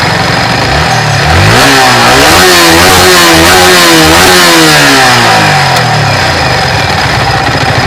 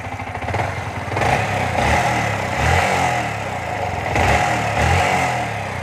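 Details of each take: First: Yamaha R15 motorcycle after tappet adjustment to cure an engine noise: it revs up in several clean sweeps and falls back to a steady idle, with a smooth note and no top-end tapping. Normal running after the repair. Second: Yamaha R15 version 3 motorcycle, warmed up, after recent half engine work: idle and blips with fast, dry ticking clatter over exhaust, louder when hot; loud tappet noise from excessive valve clearance, before tappet adjustment.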